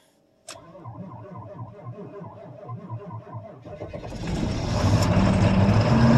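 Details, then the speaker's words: 1982 Chevy Blazer 6.2 diesel, about 20°F, unstarted for three days, glow plugs held 10-15 s, half throttle: slow cranking about 3.5 turns a second, then catches and revs; hard cold start. "she not real happy give gou pugs again sh may not start on her own might have to spray some starting food in her"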